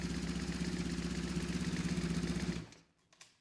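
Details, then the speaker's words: BMW R1150RS after severe overheating crank-no-start, with new Hall effect sensor set to baseline (not yet timed), new spark plugs, cleaned air filter, new alternator belt; boxer twin fires right up, even low pulse about four beats a second, then shut off; normal start and idle. "Let's see if it runs. So my guess, it'll fire right up. Boom."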